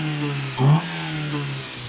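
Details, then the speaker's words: Opel, possibly a 1.6 Astra F, non-runner at first start with only the belt fitted and a leaking water pump: steady idle, a clean throttle blip, then even idle again. Little smoke but some blow-by; normal, healthy, responsive revving. "There isn't much smoke, but there is blow by. It sounds healthy. It sounds like a little 1.6 Astra F."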